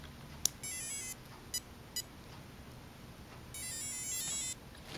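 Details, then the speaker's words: Traxxas 1/16 Ford Fiesta rally with new brushless 5700 kV motor and Castle Creations ESC, test-plugged on a NiMH battery: faint high chirps then two longer beep bursts, ESC not yet calibrated to the receiver. "i don't know if you guys can hear that but really i should calibrate it to my new esc"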